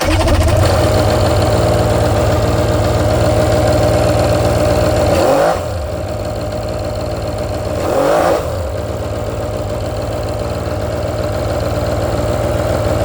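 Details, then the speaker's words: Polaris Virage two-stroke watercraft on its trailer in the water, half in reverse, idling and blipping with a steady buzzy, raspy note and lots of smoke; runs better with the seat off; owner suspects an exhaust leak. "I'm wondering if there isn't an exhaust leak. I'm seeing a lot of smoke coming. Seems to run better with the seat off, too."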